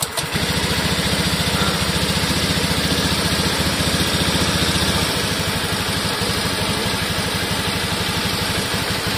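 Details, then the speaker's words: Honda Scoopy ESP (donat) bored up to 130cc with Dickspeed racing camshaft, after rebuild, not yet mapped: even, quick firing pulses at steady idle, no top-end ticking or rattle; now smooth, far quieter than the harsh noise on arrival. Normal idle. "tapi untuk suara mesin di sini udah halus ya jadi jauh banget sama yang pertama datang"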